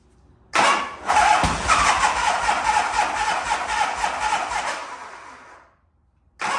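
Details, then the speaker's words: 1985 Harley-Davidson FXRS Evo V-twin, sat five years: starter churns engine over at an even rhythm about five seconds without catching; crank no start, fuel not getting through the carburettor, later found in poor shape. "all right so um clearly we're we know to turnover but it's not get through the carb so let me pull the carb off go through that"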